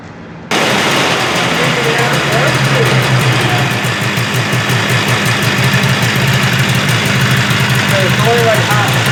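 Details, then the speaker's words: 1978 Arctic Cat Jag 340 two-stroke snowmobile, rebuilt after low compression on one cylinder, run on a stand: crisp, fast crackle firing evenly on both cylinders at steady speed; healthy, carbs still need adjusting. "yeah and she sounds good she's ripping on two cylinders we got to adjust the carbs that are in a little bit"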